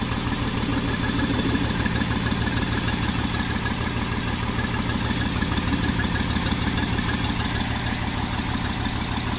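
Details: 2009 Jeep Wrangler 3.8L V6, 6-speed manual, shaking lumpy idle with uneven thump about three per second; dead misfire on cylinders 2 and 5, no spark from shorted #2/5 coil that burned the PCM coil driver.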